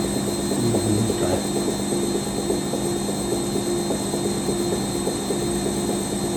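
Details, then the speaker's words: Rescued Siemens WH54080/07 Extraklasse XL 1000 washer, Cottons 90°C first load, spin heading to 600 rpm: rhythmic knock about three per second over steady spin hum; owner asks if shock absorbers, says not spider failure; to investigate. "that's not seemly the sound of a sper failure"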